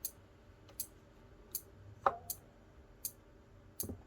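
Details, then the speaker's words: Elegoo Arduino starter kit relay meant to switch a small motor: dry ticks about every 0.75 s with no motor hum; both relay outputs were miswired to the motor, and per the wiring diagram one must go to ground. "okay i messed up so i put both outputs of the relay here i put them connected both of them to uh the motor but if you look at the wiring diagram here this one here needs to actually go to ground"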